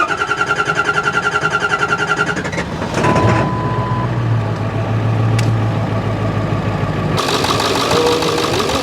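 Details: Ford 7.3 Powerstroke diesel, first start after replacing both high-pressure oil lines to fix oil leaks: even cranking for a couple of seconds, then it fires and settles into a smooth, steady idle with no misses and no leaks.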